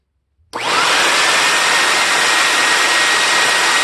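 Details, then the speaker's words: Compact TriStar C8 two-speed vacuum, rebuilt Ametek motor with new bearing and grease, switched to high: quick spin-up to smooth steady whine and even airflow, no rattle or grinding, no smoke or excess sparking; healthy, though commutator dirty. "all right nice and smooth not noticing any week anything weird no smoking obviously no excessive sparking at all"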